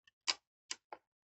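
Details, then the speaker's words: 1931 Voigtlander Jubilar 6x9 folding camera, untested with film: a few crisp light clicks cocking and firing the leaf shutter, snappy with no drag; shutter works, accuracy unknown. "As you can hear, the shutter is working fine. Sorry, the sun's shining at the moment. The shutter does work."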